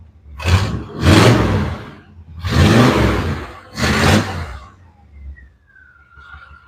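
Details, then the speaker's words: Carbureted V8 Malibu: deep, lumpy burbling surges about every 1.5 s, like the tailpipes are underwater, and it dies when throttled; persists despite much carb adjustment; cause suspected fuel delivery, not confirmed. "but it sounds like the tail pipes are underwater and then you goose and it dies. So, and I messed with that carb a ton on this thing and I couldn't couldn't get that to go away."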